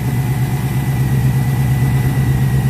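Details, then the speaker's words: Ford Capri V8 project, warm idle: steady idle with a fast faint knock under the exhaust drone. Oil pressure was about 20 psi cold and roughly 5 psi warm; the owner fears a bottom-end cause, unconfirmed. "which is that the bottom end of the engine or something inside the engine it's causing this noise it's knocking noise"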